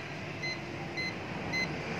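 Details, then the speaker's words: Perodua Axia air-conditioning with dirty compressor oil, leak detector held at the cooling coil (evaporator): sharp high beeps repeat steadily about twice a second without stopping, continuous reading confirming refrigerant leak at the evaporator. "Memang bahagian cooling coil lah tuan-tuan. Nampak Dia memberi bacaan yang berterusan."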